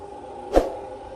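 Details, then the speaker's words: Electric fan switched on: steady, slightly rough motor hum with one sharp knock, noise coming from the worn motor bearings, sometimes louder at higher speed settings; fix involves removing blade and motor cover. "เสียงมาจากมอเตอร์ครับยิ่งตอบระดับบางทีขึ้นเสียงก็จะดังทั้งวันมากขึ้นเสือร้องวิธีแก้ไขด้วยครับ"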